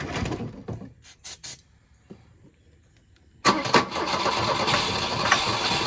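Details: Volvo 242 abandoned in woods: cranking bursts then catches into uneven ragged idle, no knock; runs rough, needs carburetor work and fuel.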